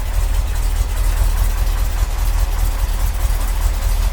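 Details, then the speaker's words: 1982 Corvette fuel-injected V8, completely cold start after the fuel system overhaul, probably needs a tune-up: starts right up into a deep fairly even burble, slight cold unevenness, no knocks or ticks; normal idle. "It starts right up. What do you guys think? Oh. Might need to warm up just a little bit. That's not bad for fuel injection, that's for sure."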